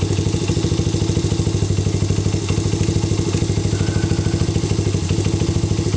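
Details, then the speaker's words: Honda XR80/CRF80 single-cylinder engine, warmed up at idle: light, even slapping clatter of a slightly slack cam (timing) chain; set by adjusting the tensioner back to a light slap, too tight causes whine. "so what I'm going to do is start my engine and warm it up a minute and you can here some of the little bit of timing chain slap"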